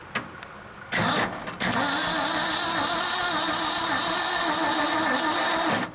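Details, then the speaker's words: 1976 Ford F-600, first start attempt in 10+ years: the starter grinds over sluggishly with an uneven, labouring whirr and no catch; a low battery is dragging crank speed down, so it needs charging. "alrighty so our battery is a little too low i guess"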